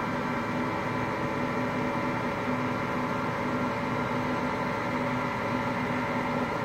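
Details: Hotpoint Aqualtis washing machine, bearings just started to go today: steady even roar with a droning hum throughout the spin; worn drum bearing beginning to fail.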